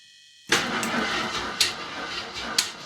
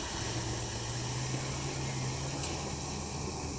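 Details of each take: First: 1981 Jeep Wagoneer Limited AMC engine, after sitting 20+ years, cold start in single-digit temperatures with a dry carburetor: bursts into life with loud, harsh clattering and a sharp rap about once a second under the valve cover; bent pushrod at the rear. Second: 1981 Jeep Wagoneer Limited first start after 20+ years sitting, oil pressure apparently shown, sender faulty: low, even idle rumble holding steady on its own with some hiss; normal idle.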